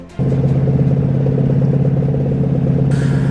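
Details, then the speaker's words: Ford F250 in four-wheel drive towing 20,000 lb up an icy 12% grade at night: heavy low engine drone under load with a rough pulsing clank from a failing front hub that crippled the 4x4 system. "now then the 4x4 system on the f250 was crippled due to a hub you can hear it knocking that's that clanking menu year"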